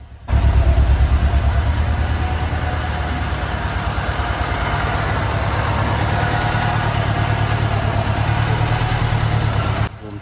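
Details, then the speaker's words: Lancia Delta HF Integrale, sat about 20 years and unstarted over six, after fuel system overhaul, new fuel pump, four new injectors and fresh high-octane fuel: now warmed up, steady even idle rumble without stumble or miss, running much better than the earlier misfire. "up a little bit and as you can hear it's it's running a lot better now the card's warmed up a little bit and everything seems to be okay"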